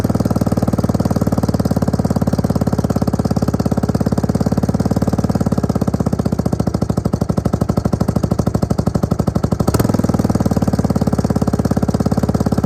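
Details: Suzuki LT250E Quadrunner quad with fuel starvation, idle and starting problems: steady, evenly spaced single-cylinder thumping holding speed without surging or dropping out; now fixed, running normally.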